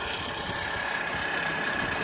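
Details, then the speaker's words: Skoda CD edition off the road about 10 years, second start after a starter-solenoid wiring fault was found: quiet, steady idle with an even hum, no knocks or surging; starts easily and runs quite well, though owner thinks it's a bit rattly. "say ever has in the last five years anyway the last five years and with ease that's on with ease and it's quite funny because the only reason we put off doing this car is because it wouldn't start and now it starts so as you would have just seen she runs and she's running quite well"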